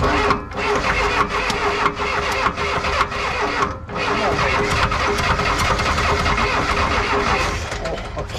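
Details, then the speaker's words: 1984 Lull Highlander 3 model 622 telehandler four-cylinder diesel, sat about 20 years, started on ether: catches roughly, hammers with hard uneven knock, stumbles and dies; oil blowing from a cut, cracked exhaust. "i shot ether a little knocking never heard of diesel right hanging knocking that sounds bad"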